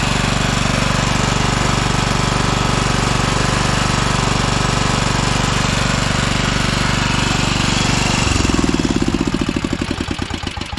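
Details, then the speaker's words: 2012 Toro TimeCutter SS5000 zero-turn (model 74630), V-twin. Hard, choppy thumping about four times a second, then it winds down and stops; it fires on one cylinder. The fault is later fixed by repairing the rockers and adjusting the valves. "seems to be the case with most V twins they only run on one cylinder so I think this is going to be the root cause to most of these issues right here"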